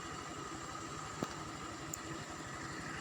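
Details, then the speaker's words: Honda Vario 125 LED scooter just after home CVT service with filter and parts refitted: low, even putter at idle with a soft steady hum, no knocks, rattles or belt slap; idles smoothly. "oke setelah pasang semua kita nyalakkan oke pemira halusungis ya"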